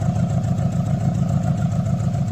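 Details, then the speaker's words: Car exhaust at idle: steady low idle with uneven putt-putt chuffing from tailpipe; suggested causes are an intake air leak or one cylinder working poorly, not confirmed. "概率排第5的是排气系统，常见怠速时排气管有突突突突的声音。"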